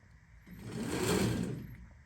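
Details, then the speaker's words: E-Ride Pro SS buggy with a 12kW electric motor replacing the stock 150cc gas engine, chain drive: a brief whirring swell rises for about a second and dies as twist throttle is given; the motor spins up and runs fine. "oh boy we got power"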